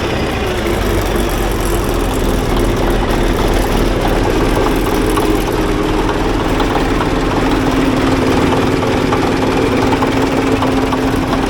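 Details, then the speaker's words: Ex-military, low-hours Cat D8K with a D342 diesel, after a new turbo and exhaust manifold to fix exhaust leaks, run without a muffler: deep, even idle at about three beats per second with no puffing. Sealed up; the smoke is shipping oil burning off. "but she's all sealed up she sounds good not too bad without that muffler on her turbo quiets it down"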